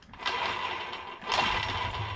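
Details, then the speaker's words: Arrma Kraton 8S RC truck drivetrain hand-spun twice after the center diff/spur cover was opened and mud cleaned out: light, even gear whir, no grinding, crunching or skipping; normal, clean drivetrain. "but as you see everything is sounding really really good"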